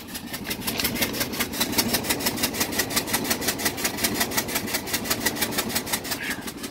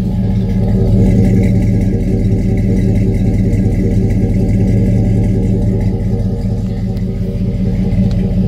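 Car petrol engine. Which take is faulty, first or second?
first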